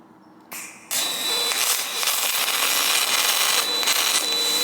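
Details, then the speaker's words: Firstess (Yeswelder) DP200 dual pulse MIG welder, first attempt with argon, outdoors in light wind: arc crackles unevenly with stutters instead of a smooth hiss, wire feeding jerkily; ugly bead, wire speed thought slow. "The wire was a little jerky and it's welding, but it ain't pretty. I'm going to uh try this again. It seems like our wire speed was a little slow."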